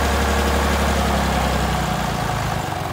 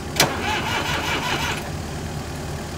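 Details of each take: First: Massey Ferguson 30B diesel loader tractor, first start after sitting over 14 years: a deep, even diesel clatter settling to a steady idle. It sounds strong and healthy, though the steering isn't working. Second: Massey Ferguson 30B loader tractor, sat outside over 14 years: starter turns it over in even, free chugs about 1.5 seconds without catching. Not locked up; oil and fluids fine, but it needs fuel and the tank is bad. Cranks, won't start.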